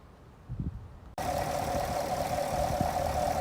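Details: 2018 Camaro SS V8 just after its first oil change (10 quarts), run for a couple of minutes: after a brief quiet lead-in it settles into a smooth, steady idle with an even low rumble and no knocks. The engine sounds healthy.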